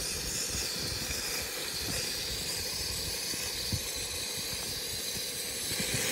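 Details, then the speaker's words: Campy Gear Chubby 2-in-1 portable propane heater and stove: a loud, constant roaring hiss as the burner flashed into huge flames, getting the wrong mixture; owner suspects a leak or a clog in the hose. "it wasn't getting the right mixture and this thing actually basically flashed and was making huge flames out of it and was extremely dangerous"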